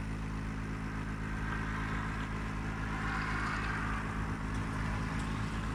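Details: Gree air conditioner running: a heavy, steady low hum with a rough drone throughout, far louder than normal; cause unknown.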